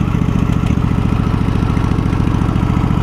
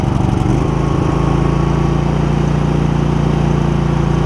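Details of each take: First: Husqvarna YTH2348 riding mower small engine at idle: low lumpy uneven thumping around 200 beats a minute, stumbling then dying; owner suspects it is out of gas or may need new spark plugs. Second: Husqvarna YTH2348 riding mower, 647 hours, after replacing a badly clogged air filter (was rough and hard starting): steady even single-cylinder thump, no misses or surging; running smoothly.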